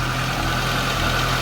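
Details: 2022 Honda Civic in Drive, brake-torqued with light throttle: engine labours at low revs with uneven shaky drone, suspected intermittent misfire under load; owner reports it loses power down to 20 mph after running a while.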